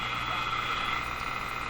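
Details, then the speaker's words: Moffat Crosley G2465 five-tube radio before filter capacitor replacement: clear hum with a steady rattly buzz and faint whistle over the hiss, unchanged when tuning; suspected internal feedback (motorboating), weak power supply filtering suspected. "that also that uh rattly sound I guess you could call it that's not changing that I imagine is also some kind of feedback occurring inside the radio motorboating"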